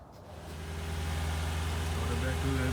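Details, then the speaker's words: 2007 Lexus LS460L after replacing spark plugs and valve cover gaskets: engine catches and settles into a smooth, steady low idle with no misses, ticks or knocks; drives and sounds good after the repair. "alright guys so I finally made it home car drives good everything sounds good"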